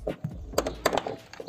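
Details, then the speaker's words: 1997 Fiat Palio car door opened and closed: sharp clicks, dull knocks and creaks, an irritating metal-on-metal snap present on all four doors, before the fix. "esse barulho hein galera irrita muito é muito chato todas as portas têm as quatro portas que meu carro tem todas com esse barulho chato"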